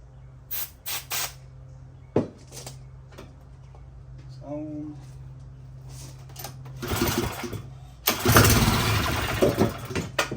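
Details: Little-used Power Horse small engine that had sat for a while, with fuel leaking at the petcock instead of flowing: scattered clicks, then it catches on sprayed fuel for a few rough seconds and dies. Fuel starvation; carburetor, tank and petcock are to be cleaned.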